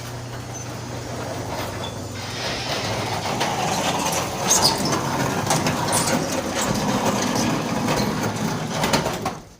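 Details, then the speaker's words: Garage door after installing new rollers replacing worn ones that made metal-on-metal noise: steady nine-second travel with even light rolling clatter, stops cleanly, normal quiet operation. "New rollers, no noise."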